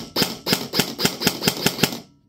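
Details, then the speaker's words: Raven Evolution Furion ETU mosfet programmed to level 3 pre-cocking, semi-auto, in an unloaded airsoft gun: seven sharp, crisp shots at about four per second with instant response. The gearbox cycles snappily and sounds healthy. "I will go back to safe and go back to semi and you will hear what level three precocking sounds"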